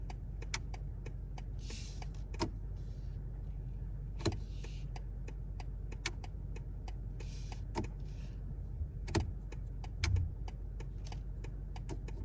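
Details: BMW G70 760i (2023) steering column clicking when the turn signal is used: sharp dry irregular clicks over quiet cabin hum; turn signal assembly, steering column part and spring replaced by BMW, same clicking after repair.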